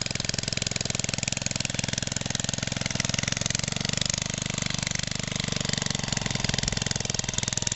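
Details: 1969 small engine, roughly 1.5–2 hp with magneto, long-dormant and revived: quick, evenly spaced firing pops at a steady speed without stumbles or misses; running smoothly.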